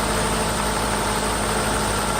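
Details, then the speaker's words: 1994 Mercedes S600 coupe V12 after new mass airflow sensor wiring looms: a smooth cold-start idle at 23°C coolant with no knocks or hunting; the oxygen sensors are not reading yet because the engine is cold. "obviously this is a cold start if we look here we only have 23 degrees coolant temperature which is really cold start"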